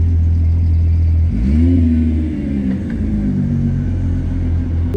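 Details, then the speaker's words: Idle with Autotech 272 cams: deep, even, lumpy idle that swells briefly with a small rev blip then settles smoothly; healthy cammed idle. "That idle sounding so good. So good. Got those Autotech 272 cams, and not a bad little idle."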